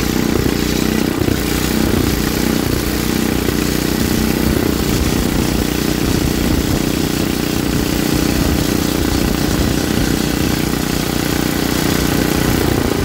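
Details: Troy-Bilt rear-tine rototiller engine after magneto cleaning restored missing spark and carburetor cleaning, during carb adjustment: rough steady single-cylinder thump about three beats a second, holding an even idle without dying; running properly.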